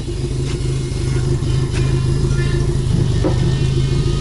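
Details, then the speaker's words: Opel Corsa A GSI race car, first start after over 10 years standing: deep even idle rumble, steady low note, no knocks or ticks; engine sounds healthy. "aber klingt guter Motor ne"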